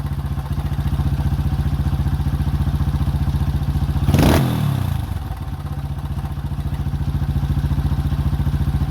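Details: 2005 Honda CRF150F (California street-legal) single, after a valve adjustment and carb tune-up for a no-start; it had previously run very high without idling. Carb being adjusted; steady, even idle thump with one quick blip. Firing clean and regular, running properly.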